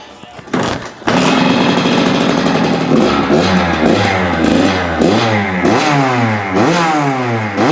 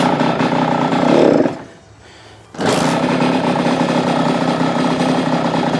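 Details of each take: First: Kawasaki KX85 two-stroke after crankshaft rebuild and going richer on the main jet from 132 to 135: crackles into life, then blips cleanly with crisp, even revs and no bogging; running properly. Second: Kawasaki KX85 two-stroke on first start after a crankshaft bottom-end rebuild, on choke: high, buzzy revs with a brief dip, a crisp, thin note. Owner suspects it is slightly lean and adjusts the air screw, which was almost two turns out. Lean-sounding running.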